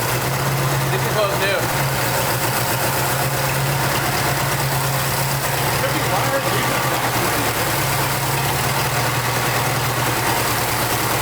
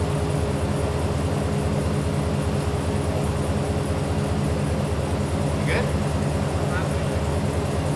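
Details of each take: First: 1989 Jeep Wrangler YJ 4x4, 2.5 L four-cylinder, manual, revived after sitting 12–13 years, idle air control valve cleaned: steady, slightly raised stable idle with a smooth low hum, no misses; running on its own fuel injection. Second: 1989 Jeep Wrangler YJ 4x4, manual, revived after 12–13 years sitting: uneven, lumpy idle stumbling about two to three pulses a second, cylinders dropping out; seemed to run on two cylinders, two spark plugs later found cracked through.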